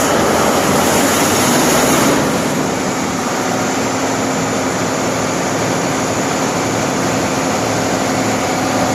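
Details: Diesel generator set after starter motor repair (the rotor had been touching the starter body, overheating it and limiting cranking to 80–85 rpm): even, steady diesel drone with no knocks or misses; running normally.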